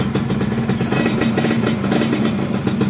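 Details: Yamaha F1ZR two-stroke motorcycle: uneven stuttering misfire, won't rev cleanly under throttle and kickstart kicks back; ignition suspected too advanced, fixed by replacing the CDI with an original unit.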